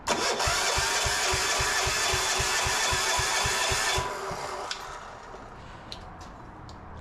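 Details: Gravely C10A repowered with a 418cc Yanmar-clone diesel: even starter cranking about four strokes a second for four seconds, never catching; no-start.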